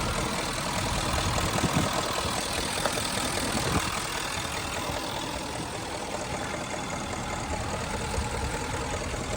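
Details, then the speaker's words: 2013 Range Rover idling with the engine cover off: faint rhythmic patter of about two to three beats a second; suspected timing chain noise, unconfirmed. "and here's the noise the cover's off it's not terrible but I hear something"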